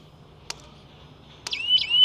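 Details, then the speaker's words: Agri Power electric fence energizer with remote sensor: two sharp clicks, then a high wavering siren rises and holds, sounding because fence current is leaking to earth and dropping; earthing is poor, makeshift. "आता हे siren वाजण्याचं कारण काय? इथं तुम्ही पाहू शकता आपला जो करंट आहे हा करंट तिथं ड्रॉप होत आहे।"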